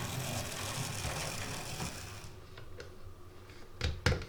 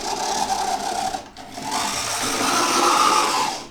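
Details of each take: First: Oxford Rail Class 415 Adams Radial 4-4-2T model loco, second-hand, after motor service and pickup adjustment, at full speed: low soft whir with light track clicks, much quieter than before; slows slightly. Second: Oxford Rail Class 415 Adams Radial 4-4-2T model loco, second-hand and unserviced: a thin buzzing whir at low speed with a raspy edge; the motor sounds dry and needs lubricating.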